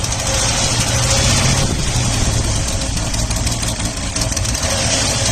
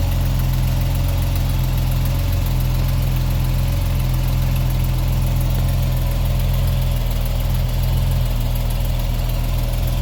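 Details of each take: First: 1979 Opel Monza petrol inline-six, barn find, injector plugs pulled one at a time with a noid light: the engine picks up after a plug is refitted but idles with an uneven loping beat, still misfiring on one cylinder, traced to injector 6. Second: 1979 Opel Monza inline-six, warm, after fixing a misfiring injector and fitting a modified rocker cover: idles steadily and evenly with a deep low rumble, smooth and responsive, with a puffing exhaust leak still present.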